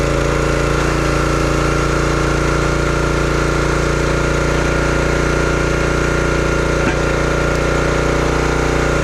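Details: Brute 30-ton log splitter, Briggs & Stratton engine (9.5 ft-lb gross torque, roughly 5–6 hp), brought in as a no-start: even, firm drone under load splitting wood, no stumbling, surging or knocks; running properly.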